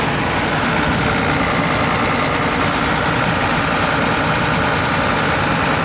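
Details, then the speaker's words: John Deere 9600 combine diesel, after replacing worn injector; had blue smoke, fuel-diluted overfull oil, code 37E: steady, even idle with smooth deep rumble, no misses or knocks; runs normally, code gone. "I don't know how well you're going to be able to tell this on the camera, but this thing is running completely different now."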